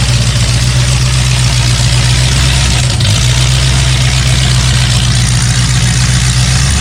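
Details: Freshly rebuilt 454 Chevy big block V8 with new pistons, from a 1973 Chevelle SS 4-speed, running on a break-in stand just after break-in: loud, steady, even deep beat with no knocks or misses; healthy, with fine tuning still to do.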